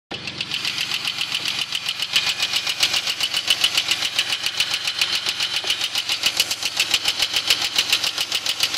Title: 2001 Grand Prix GT Lifter Tick